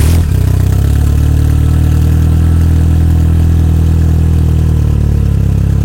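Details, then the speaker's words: Fiat Seicento Abarth with newly fitted turbo and Ecumaster ECU, second first start, no radiator fitted: low steady idle at 950 rpm, air-fuel ratio 13–13.9, everything synchronized, battery charging; smooth normal idle. "Là, la ratio air essence, il me dit 13, 13.3, 13.7, 13.8, 13.9. On est à 950 tours. Tout est synchronisé."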